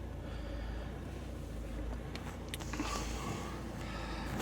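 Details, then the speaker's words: Opel Astra H 1.7 CDTI, 2010, misfiring with glow plug lamp flashing, codes P0301-04, P0400, P0683: diesel idle slowly swelling and sagging, revs wandering, typical of EGR valve per mechanic; ultimately fixed by replacing engine ECU, DPF and EGR deleted. "Значить, от бачите, стрілочка, плавають оберти. Ну, це от стандартно, як для клапана."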